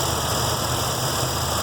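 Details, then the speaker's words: 1966 Mustang stock 302 V8 with newly installed MSD Atomic EFI, idle target set at 775 RPM, warm day: steady even idle sitting noticeably high; owner suspects the throttle/injectors are set a little too far open; fast idle. "seems like I'm going to say the injectors are a little too far open."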